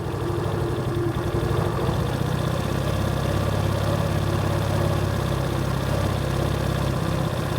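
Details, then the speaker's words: Genuine Buddy 125/150 scooter after carburetor clean and battery replacement, warmed up and off choke, idle speed adjusted: steady, even single-cylinder beat settling into a smooth warm idle; runs slightly lean with capped mixer screw, normal idle. "about there you can kind of hear the beat of what the motor should sound like these do run a little on the lean side with those mixer screw caps"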